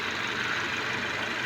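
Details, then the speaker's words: Car power steering pump at idle after an O-ring rebuild kit, internal debris cleaned out and fresh fluid; it previously droned: soft, even hiss with no hum or whine; normal pump operation after repair. "So nagpalit tayo diyan ng mga O-ring sa steering pump. Tapos nilinis natin yung loob para maalis yung mga dumi-dumi at yung mga gasgas na dibre. So yan medyo okay na siya."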